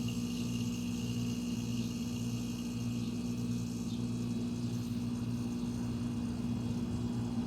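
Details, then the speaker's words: Roadside-found fridge, left on its side, overload relay, relay and capacitor swapped, replugged after a couple of hours unplugged; past the earlier 30-second cutout: steady low hum with faint high whine; compressor still running normally. Owner suspects bent pipe may be cracked. "that's a compressor still running"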